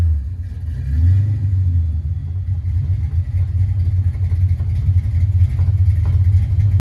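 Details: 1988 Ford Mustang LX 306 V8, blipped cold after a new oxygen sensor: deep uneven lumpy rumble with irregular stumbles and pops back through the intake, running rich and misfiring. Owner suspects a bad coolant temp sensor. Cause unclear.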